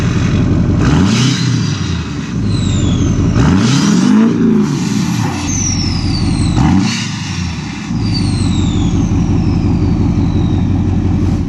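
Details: Modified diesel truck with new 8-inch exhaust tip: deep rumble swells with a few throttle blips and settles back, loud droning exhaust, no knocks; healthy idle and revving.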